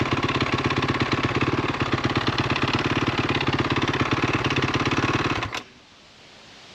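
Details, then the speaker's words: 2013 KTM SX-F 450 single, electric start, reportedly burning oil: rapid, steady metallic knocking rides on the idle until shut off; sounds like a bottom-end rather than top-end knock, owner guesses a rod bearing, not confirmed. "sounds like a low end problem not top end problem i'm guessing it needs a rod bearing they did say it was burning oil too"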